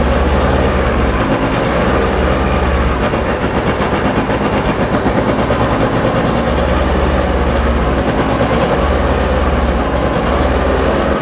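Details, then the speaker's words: Porsche 911 2.8 RSR build, freshly started, ECU being tuned remotely: choppy, uneven clattery firing that never settles, rough running; owner plans to check individual header temperatures to find the cause. "it doesn't sound happy but it's running nope I'll get my motor out and check the individual headers and see if we've got what even temperature"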